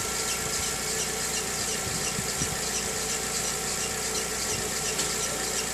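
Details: VW Gol G6 2013/14, cold morning start: steady high-pitched squeal over idle; dealer first blamed a too-hard alternator belt, but the fault was the timing belt, replaced under warranty.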